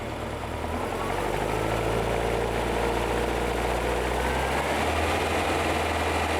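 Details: VW-based Porsche 356 Speedster kit air-cooled engine, test after remote oil filter over-pressurization repair. Oil pressure steady near 50 psi falling to 40–45 as it warms, no leaks, oil cooler warming. Smooth low throb with no knocks, ticks or misses; healthy.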